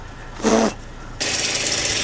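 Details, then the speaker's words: Golf GTI 2.0 16-valve with ABF engine, jump-started after sitting as a non-runner, air conditioning on; sharp high chirp over the running engine; owner suspects the auxiliary belt tensioner squeaking. "We've got a horrible squeak on here. Hopefully you can hear me. But I think it's actually the auxiliary belt tensioner that's squeaking."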